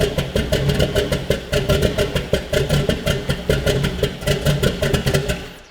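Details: Gen 4 LS V8 swapped into Volvo 240 wagon, first start, ignition set from GM 24- to 58-tooth: lumpy, uneven idle with stumbling pulses; RPM error.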